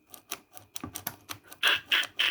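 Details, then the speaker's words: Sharp 10P-35 boombox cassette mechanism after cleaning and tiny drops of lubricant on its pivots: sharp dry uneven mechanical clacks growing louder; mechanism still stiff. "Yeah, still not brilliant."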